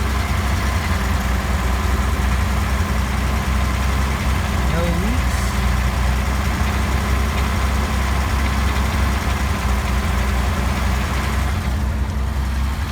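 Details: 1948 Chrysler Windsor 250 straight-six, after fuel pump replacement, test running on the mechanical pump only: low, steady idle with an even soft rumble, no misses or knocks; runs smoothly.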